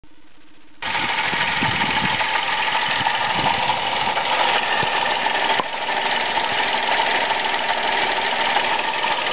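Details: Toyota Aygo with a worn-out water pump: the engine settles into a busy idle with a faint steady whir. At first the noise came only when cold, not warm, then became more frequent until the mechanic diagnosed it.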